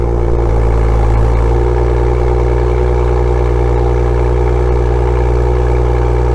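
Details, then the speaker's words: BMW M2 (N55) with M Performance exhaust, cold start idle with the exhaust tips removed: deep, smooth, even idle with a steady low drone and no metallic vibration buzz, showing the tips caused the rattle. "all right so as you've heard no metallic vibration noise was presence meaning that the tips must cause this noise"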